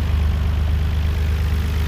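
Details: Even, steady idle with a smooth fast pulse and no knocks on a 1991 Nissan R32 GTR (RB26DETT) checked for low oil pressure. It shows about 2 bar while driving with no leaks, so the oil pump is judged good.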